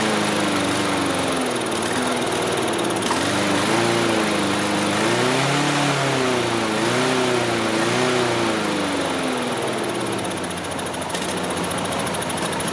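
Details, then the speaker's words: Dump-found Troy-Bilt TB360 mower, Briggs & Stratton 190cc, no throttle: engine hunts, pitch swinging up and down every second or two, never settling; owner suspects gummed, stopped-up carburetor jets. "I think that probably going to have to take the lawnmower back apart. I think those jets are stopped up. Probably the whole thing's plugged up."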